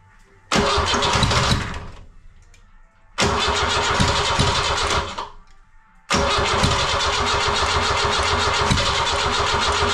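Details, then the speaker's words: Ford Transit 2.5 diesel, first start after engine reinstall, with quick-start spray and rebuilt starter; three long cranking bursts, first two dying, before it catches and settles. Cranks too long; owner suspects old rubber fuel hoses near tank, not confirmed. "тобто він запускається все але довго прокручує стартева не зпівпенька так як він повинен запускатися"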